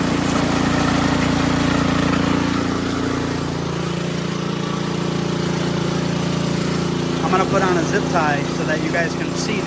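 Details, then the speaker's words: Ariens Sno-Tek 24-inch snowblower, model 920402, 208cc engine, augers disengaged: steady even hum with no clunks or rattles; normal smooth running. "watch how smooth this is so"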